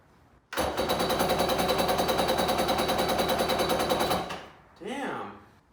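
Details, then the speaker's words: Kawasaki 750SS small-pin motor swapped into an SC jet ski, motor ran before: steady rapid cranking for about four seconds with no catch; spark confirmed, owner suspects fuel not being pulled through the fuel line. "all right guys I couldn't get it to start so I checked spark sparks go"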